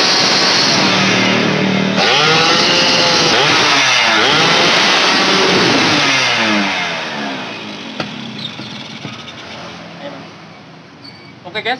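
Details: Yamaha F1ZR two-stroke after repair of weak ignition traced to a faulty electrical part: revs rise cleanly and climb freely to full revs with no stumbling; normal revving.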